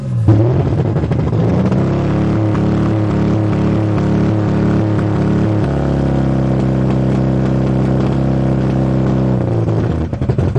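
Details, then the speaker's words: 1982 Toyota Cressida six-cylinder after battery replacement: lumpy, stumbling idle with uneven pulses, not running on all cylinders; owner suspects too much fuel, with black smoke and all plugs sooted black. "don't think she's running on all the cylinders. Like she used to, anyways. I think she's getting too much gas."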